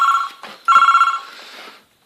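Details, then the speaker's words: PBX intercom extension 602 being rung from another extension: bright, rapid trilling ring in two short bursts with a gap, with an indicator-like ticking audible while it rings. Normal telephone ringing. "can hear it ticking over here while it's ringing it sounds like an indicator if you ask me"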